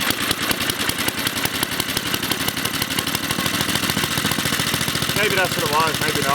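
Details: Briggs & Stratton 2 hp lawnmower engine, restarted after a grounding wire touching the carburetor body had made it die. A quick, even popping beat holds steady with no misses; normal running.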